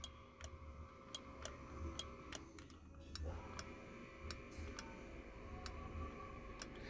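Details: Nissan Tiida power window, switch voltage outputs and polarity tested correct: sharp dry relay clicks each time the switch is pressed with no motor hum after; relay works, so the window motor has failed.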